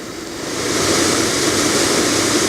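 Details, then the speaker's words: BMW 635 heater blower motor on an aftermarket PWM speed controller, ignition on, speed turned up to maximum: airflow rushes up and holds a smooth steady roar, no ticking or grinding; normal blower at maximum speed. "All the way to maximum. And works pretty smoothly and quietly."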